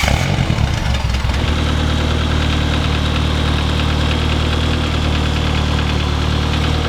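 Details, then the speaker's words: Mid-engine Mitsubishi Eclipse 4G63 after oil pan reseal and refill: steady idle with a dull, uneven knock about three a second that seems to come from the bottom end, only at idle; cause undetermined though bottom end showed no play. "it only does it at idle this is now all uh chanel the main priority i'm sure you can hear that noise through the camera that ain't good"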